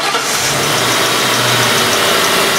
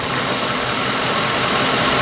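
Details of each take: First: 2003 Mercury Grand Marquis 4.6 L, idle air control motor already replaced, check engine light P0507: engine settles into a fast, busy idle that never drops; high idle speed, fixed by adjusting minimum idle speed. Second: 2003 Mercury Grand Marquis 4.6 L after two-wire idle air control valve plugged back in during P0507 high-idle diagnosis: rpm rises as the valve reacts, then smooth, even idle with no hunting; computer back in control of idle.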